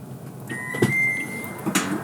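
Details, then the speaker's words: Toyota power back door latch release actuated through a Techstream Active Test: a latch clunk, then about a second of steady electric motor whine ending in a thud, so the back door works with no problem. "and as you can see we are working no problem all right and then the second switch is used to close it again"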